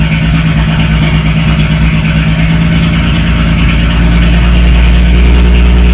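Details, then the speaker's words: BMW 335is after swap to a new N54 engine, coding done and old cylinder six misfire code cleared: steady even idle, no stumble or skipped beats, slight pitch rise near end; running smooth, normal idle. "so let's clear that old code out from the misfire for cylinder six and everything sounds sounds good"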